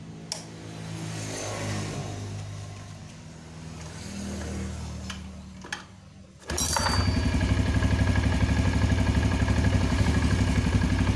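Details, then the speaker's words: Yamaha Jupiter Z carbureted motorcycle, cold early-morning start after carburetor repair (bigger main jet, needle jet swapped, ACV diaphragm replaced): catches instantly and settles into a steady even thumping idle; previously hard to start cold. "it turns on immediately once it's OK ."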